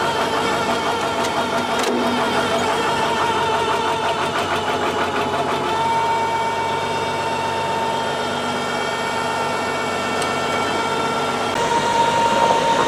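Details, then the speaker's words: Tractor with 1066 transmission housing and brand-new MCV pump, diesel idling: thin steady high whine over a rough idle holding its pitch; suspected MCV pump, pitch mismatch attributed to gears, not confirmed. "you hear that wine that's the mcv we think because this tractor's got a 10-66 trans housing the gears are the same but there's different pitch on them that's why it's making all that noise"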